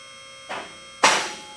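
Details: Advantage Legacy 4-post lift, first raise to the top after installation; steady pump hum then two separate clicks about half a second apart, locks not yet adjusted to engage together.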